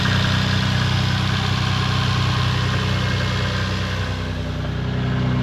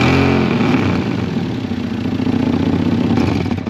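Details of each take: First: Toyota Supra MK4 2JZ after its split exhaust manifold was welded and refitted with induction kit and heat shields: settled, even idle with steady low drone and no exhaust tick or puffing leak; normal idle, blowing manifold fixed. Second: Toyota Supra Mk4 (2JZ-GE): loud, uneven tractor-like chuffing with each firing under throttle; exhaust manifold split clean in half and blowing badly, before repair by welding the original manifold.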